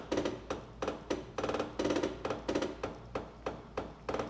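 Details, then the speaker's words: Bambu Lab A1 3D printer homing all axes at calibration: sharp hollow knocks about three a second as the axes hit shipping locks that were never removed. "I don't remember if my other A1s did that sound, but home all access."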